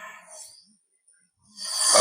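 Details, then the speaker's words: Lada Kalina 8-valve engine, pneumatic leak-down test at 5 bar on cylinder 3, microphone held to neighbouring plug hole: air hisses out, head gasket blown between cylinders two and three. "оцього свистить тобто тобто другий і третій циліндри з'єднались по прокладці ГБЦ"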